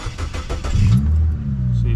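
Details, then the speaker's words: Mazda car on start-up with the check engine light blinking and smoke: low, lumpy, uneven idle from a misfire, suspected at cylinder three. The owner suspects O2 sensors and worn valves with possibly low compression. "check engine light is blinking and y'all hear it sounds like a Subaru so it's either running on one uh it's it's either one cylinder it's misfiring I think that's cylinder three"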